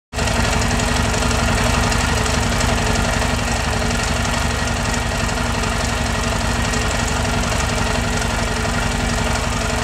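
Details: Yamaha Tenere at steady idle with an uneven tapping about four per second riding on top; strange mechanical engine noise, cause not yet known.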